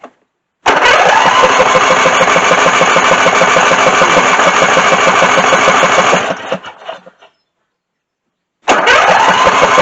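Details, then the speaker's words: Craftsman lawn mower after leaking float valve let gas into oil, solenoid starter wire retightened; fires on starting fluid, buzzes evenly about six seconds, dies, fires again; little gas reaching it, hard start, stalls after fluid. "We're gonna spray her again because she kind of evaporated over time. And I don't get a whole lot of gas in there."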